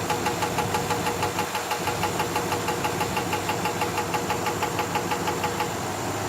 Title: Knocking noise in my 1985 Fleetwood Brougham Cadillac